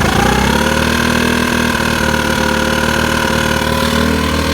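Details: Rough, uneven idle with a slightly lumpy beat and wavering tone; carburetor was just cleaned and is spotless, yet rough idle persists, cause not yet pinned down.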